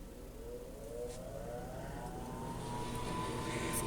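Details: Harman Accentra pellet stove, about 47°F room, just-replaced combustion blower on startup: soft hum with a smooth whine climbing steadily in pitch as it spins up; no scraping or wobble, blower healthy.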